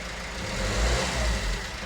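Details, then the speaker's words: Peugeot Berlingo diesel van with a £250 blown engine, just rebuilt after a timing chain failure, ticking over with coolant in and ECU faults cleared: low, steady tick-over with a gentle swell in revs, no knocking or rattles; healthy idle. "I've just let it tick over for a little while. It's got coolant."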